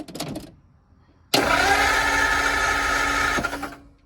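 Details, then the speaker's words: 1949 Ford shoebox, cranked after refitting parts: starter churns the engine over at an even steady rate for a couple of seconds but it never fires; no spark, points suspected. "crank it hold it there ain't hell there ain't no spark in there there's no Spa Mr bud"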